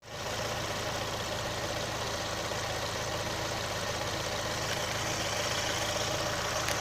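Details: 2018 Chevrolet Onix LT 1.0 under three months old at idle: a faint, uneven tapping under two a second over a steady idle; valvetrain-type noise, owner links it to the intake valve and lock replacement GM is quietly doing.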